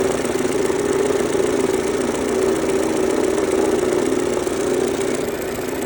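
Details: 2003 Mercedes-Benz A140 (W168) engine, 196,000 km, idling with a rapid tick-knock of about four per second from the front of the engine. The owner suspects the timing chain or tensioner, but this is unconfirmed.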